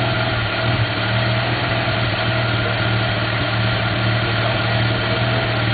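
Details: 1991 Mazda RX-7 S5 NA street-ported rotary with headers and possibly Racing Beat cat-back: uneven lumpy idle with low drone and occasional exhaust pops (afterburn); cause unknown, owner doubts vacuum leak.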